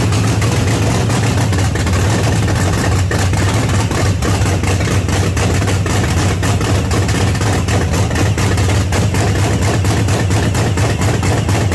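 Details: 1979 Pontiac Trans Am with freshly overhauled 400 V8 on first start through open pipes: deep, lumpy idle pulsing unevenly, close to stalling; rough low idle, likely rich, idle needs turning up.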